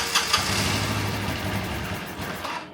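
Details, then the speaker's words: 1985 Honda Elite scooter, revived after flushing old fuel and adjusting idle screw: small single settles from the starter into a steady, even idle with no knocks or misses; runs healthy. "there we go that sounds like a happy arrival right sounds pretty good I think it runs"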